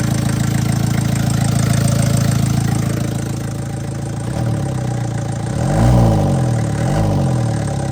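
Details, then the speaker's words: MK1 Ford Transit diesel after fuel system overhaul and first oil change in 30 years: steady idle clatter then gentle revs, no misfire, knock, smoke or leaks; exhaust still blowing crap. "Didn't smoke this time. No leaks. A lot of success. Running pretty smooth now."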